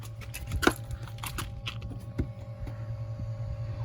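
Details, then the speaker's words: 2019 Toyota RAV4 XLE with newly installed LASFIT LED fog lamps switched on: faint steady high whir under some clicks and clatter, a little noise from the lamps' built-in cooling fans at the back; normal operation. "All you hear is a little noise from the fan in the back."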